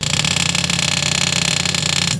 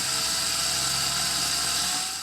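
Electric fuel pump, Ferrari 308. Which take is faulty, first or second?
first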